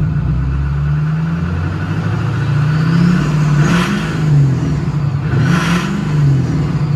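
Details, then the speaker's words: Newly built SoCal Diesel twin-turbo 1,000hp Duramax diesel, just fired up and not warm yet: deep even rumble with two quick blips, each bringing rising turbo whistle; clean, healthy revving with turbo spool. "all right so I'm not gonna get on it too hard because we obviously just fired up and she's like not she's not really warm at all but listen to these [ __ ] terpskies"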